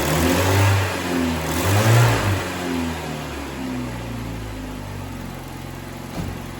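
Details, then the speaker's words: 1994 Saturn SC2 just after head gasket replacement (overheating), right after cold start: revs up and settles with faint light ticking over the note, more than usual in the first minute; valve tick suspected, not confirmed. "The engine sounds like it ticks more than usual, at least during the first minute or so after startup."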